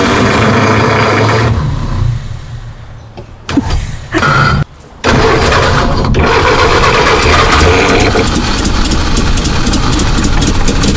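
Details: Rare 1951 Henry J survivor: slow, uneven cranking at about three beats a second that stumbles and cuts out before catching; a hard start, likely fuel starvation.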